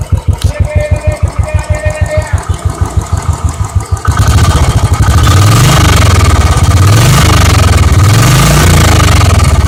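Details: Royal Enfield Electra at about 550 km, just before first service, exhaust sound: slow, even single-cylinder thump about three beats a second, then fuller running with throttle blips; normal idle.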